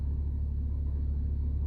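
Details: 2006 BMW 325xi E90 with N52 six-cylinder, after misfire repair (transmission, engine computer and crankshaft sensor previously replaced): smooth, even low rumble with no stumble or skip; normal idle.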